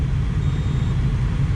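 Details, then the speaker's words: 2013 Ford Escape heater blower fan after clearing a mouse nest from the blower assembly, engine running, cabin air filter not yet fitted: smooth low steady hum, no wobble, rattle or ticking; runs evenly with no vibration. "yeah I guess I installed them correctly and listen to that heater purr no vibration whatsoever"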